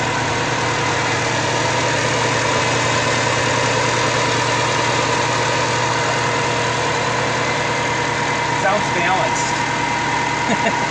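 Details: Subaru Forester XT 2.5 turbo EJ25 flat-four, rebuilt on an 800 hp closed-deck block after blowing up, initial startup on break-in tune: steady, even idle, smooth unbroken hum, no knocks or ticks; sounds balanced and healthy.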